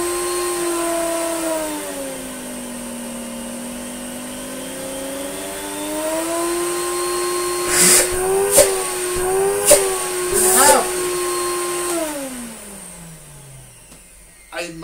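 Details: Electrolux Slimline 185 vacuum after extensive repair: a smooth whine rises and falls as the speed control is turned, then winds down evenly with no grinding or scraping. The motor runs healthy.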